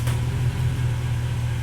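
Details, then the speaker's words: Mercedes ML55 AMG W163 after installing a good used transfer case: low, steady drivetrain hum in drive with no clunks, moving forward and back quietly; normal transfer case operation. "Drive. No clumping noise. Let's try to move forward and back a little bit. She's moving. It sounds really quiet, too."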